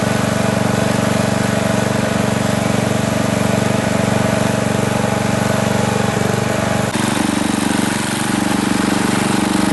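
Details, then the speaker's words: Briggs & Stratton industrial small engine for an air compressor, new carburetor, fuel pump re-plumbed correctly: steady single-cylinder beat whose note shifts, hunting and surging while running; cause unconfirmed. "it's running okay it's still kind of surging but that don't really matter for an air compressor as long as it's running that that's all that matters"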